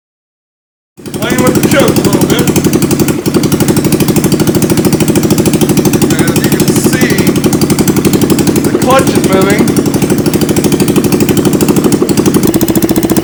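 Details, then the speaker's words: YS200 Yard Sport after CVT drive belt and clutch replacement, started with muffler off and temporarily hooked up: sharp, rapid crackling beat about four per second, harsh and loud with no muffling. "gonna start it up it could be a little loud because the muffler is not on there if it will start up"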